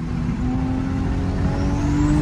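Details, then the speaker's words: Single-turbo 1JZ on test drive after boost leak test, new O2 sensor and wastegate vacuum tee fix; engine pulls hard under boost with rising turbo whistle and no blow-off valve hiss heard when lifting. "i don't know if the blow-off valve is working because i do not hear it i hear turbo"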